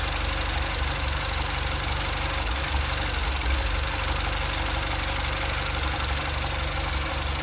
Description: Engine idle surge problem - in 2008 Mini Cooper S (N14).